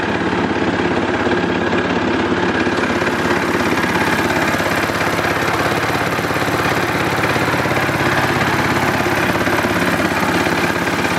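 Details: Simplicity Landlord 2010 tractor, small single-cylinder engine running after timing fix, new flywheel key and seal, engine bolted down: light regular tapping about twice a second at idle; owner thinks he hears a rod knock and carburetor needs fine-tuning, unconfirmed.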